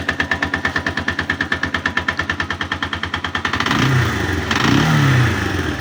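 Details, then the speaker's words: 162FMG-G single-cylinder engine: sharp, metallic knock about three times a second at idle, buried when revved; source unknown, knocking quieter when the machine is tilted to one side. "И непонятно, где он идет. Откуда стук? На ту сторону наклонил, потише тарабанит."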